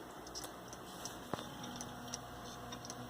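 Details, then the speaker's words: Failing hard drive in a Ryzen 3 Linux build's mdraid RAID1 array, failing during drive replacement: sharp, irregular ticks and clicks every half second in a quiet room, getting worse the longer it stays in. "Especially when your hard drive makes terrible noises like that. That's really bad, man."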